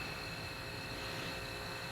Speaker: And then the pressure switch is cycling. It's a pretty cool day out here today. It will kick back on here in a second.